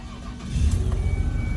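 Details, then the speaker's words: 2002 Ford Escape 3.0 V6 after repairing a blown-out spark plug thread with a 5.4 Triton three-valve kit: engine catches quickly and settles to a steady, even low rumble with no misfire and no plug blowing out; clean start. "all right, sounds good. Sounds good, sounds real good. Put our hand on the engine, and it doesn't feel like it's misfiring."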